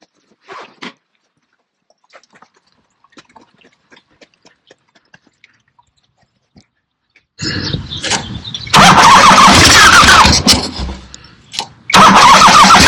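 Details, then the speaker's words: 1975 Harley-Davidson XLH Ironhead Sportster after full rebuild: loud lumpy V-twin start and throaty run with even firing and no knocks; looks good, sounds good, runs great; normal running. "But this is done, and it looks good, sounds good, runs great. Very happy with it."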